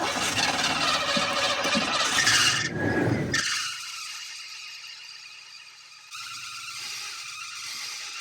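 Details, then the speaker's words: Cadillac Brougham that sat 10 years, starting after belt, alternator and power-steering pump refit: shrill squeal loudest at startup, fading as the engine settles; belt slipping, owner suspects the pulley lacks traction and isn't gripping the belt. "Put on the belt. Belt's still squealing. I'm sure the pulley just doesn't enough traction on it. It's not gripping it well."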